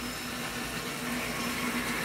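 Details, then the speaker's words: Washing machine that leaves clothes sopping wet, in diagnostic test mode on the first step, the hot-water fill solenoid: steady soft hiss of water rushing in with a faint valve hum, even and uninterrupted; fill working normally. "hear the water running that guy said that was the hot-water solenoid full of water solenoid 3 or 5 and then while this is going there's water filling up so that's good"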